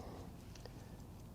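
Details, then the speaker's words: Vintage Howard Miller ship's bells clock after repair, wound five full turns, no longer stopping when jiggled: soft even ticking at a steady beat in a quiet room; running normally. "it's running fine and I can hear it ticking away nice sound"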